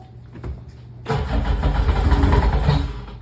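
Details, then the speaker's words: Sea-Doo 951 DI RX, reported locked up, jet pump removed and found seized, very cold, weak battery, key cycled to prime fuel: short crank, then engine fires and runs rough and buzzy two seconds; engine turns freely, not seized, fault was jet pump. "crank it over now put the key on and off a couple times I think it'll give you a little shot of uh fuel it's really cold there you go"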